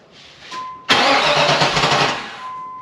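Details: 1994 Pontiac Trans Am GT, barn-stored since 2005, first start after 17 years: warning chime, then it fires quickly and settles into an even, healthy idle with no knocking; oil pressure gauge fluttered, sensor possibly gummed up.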